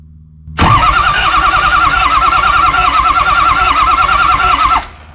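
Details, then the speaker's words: Ford 6.0 Powerstroke diesel cranked by touching the starter at the battery post: the starter whirs and the engine turns over unevenly, the first rotation skipping noticeably before it builds compression. This points to compression loss in a cylinder. "the first rotation around it really skipped and then it went to just a little that's compression loss"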